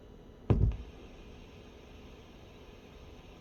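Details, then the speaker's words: TNA Total Nuclear Annihilation CE pinball at power-up, volume turned down to about level two and amp sub volume slightly raised: quiet hiss, then a single deep thump through the speakers and faint static. Startup pop present since day one. "but yes mine has always popped um a day or so later I did turn up the sub volume a little bit on the amp but it popped before that too"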